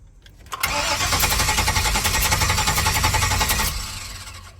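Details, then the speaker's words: 1999 Chevy Express 3500 van, codes P0339, P1351, P1626: engine cranks, catches and runs rough about three seconds then dies; starts then immediately stalls because the immobilizer/security system cuts fuel injection, with no communication to the computer. "por eso es que el carro prende pero al instante se apaga ya que la computadora como decir es corta el sistema de inyección"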